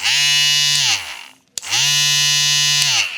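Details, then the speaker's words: Kemei trimmer fitted with an AliExpress replacement blade, zeroed but not perfectly aligned: two bursts of loud, harsh, high-pitched buzzing over a steady motor tone; something seems loose or not positioned correctly; excessive blade noise. "E ca și cum ceva nu ar fi poziționat corect, dar se aude, toată lumea, e tare."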